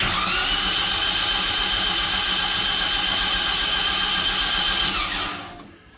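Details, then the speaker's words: Project car first start prep, spark plugs removed, both fuel pumps on, checking oil pressure: even, fast starter whirr with a steady beat about four per second, then spins down; healthy cranking with good oil pressure. "no spark plugs yet but key on that's both of our fuel pumps going if you watch uh this is our oil pressure when i crank"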